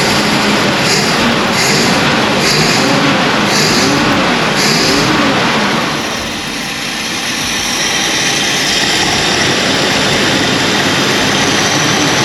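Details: 1965 Ford Galaxie 500 project car, newly revived: the big V8 turns over evenly with a steady rumble and a faint regular ticking early on. It sounds like it is running properly.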